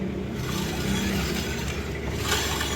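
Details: Yamaha NMAX scooter on center stand, wheel turning: constant gritty scraping with wheel rotation as disc brake pads worn through rub metal backing against the rotor.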